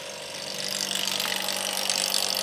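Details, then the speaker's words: Vacuum test of hand-lapped valve seats on a BMW N54 head with a vacuum pump. Cylinder 4 reads 92, then 95 after repositioning the seal, so the valve is good. Steady hiss and low hum; pump running normally. "Number 4, she's coming around. 95. Yep, we are good."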